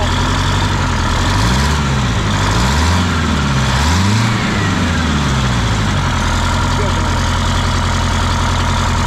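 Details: 1977 MCI coach with 8V71N Detroit two-stroke diesel after freeing three stuck injectors that caused a runaway: steady, heavy drone at idle with slowly wavering low hum while warming up and airing up; normal idle.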